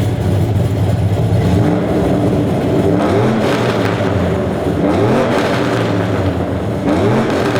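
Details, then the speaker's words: 2004 Chevy Silverado 1500 V8 with long-tube headers and stage 4 cam: revving up and down with a raspy, rattly edge; a cheap eBay exhaust cutout valve has failed, causing an exhaust leak. "it sounds like garbage it sounds like an exhaust leak it is an exhaust leak it doesn't just sound like it I straight-up have an exhaust leak now because this valve has failed"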